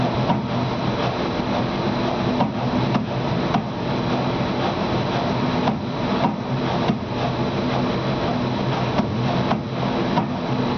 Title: Lamination knocking sound